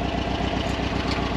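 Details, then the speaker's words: Engine idles lumpy with a regular stumble as number one cylinder drops out; owner suspects the idle jet is blocked, idle circuit only, and at higher RPM it runs on all four. "when I'm up when I've got my RPM up I'm able to um it'll then change to the main circuit and then it runs on all four so it's not an issue it's just that idle"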